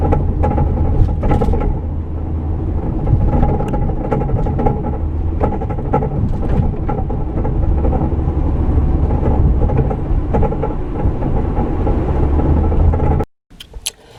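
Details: Camera in the rear of a van driving with a broken track bar, snapped off at one end: irregular hollow clunking thumps from the rear over steady road rumble, caused by the broken track bar.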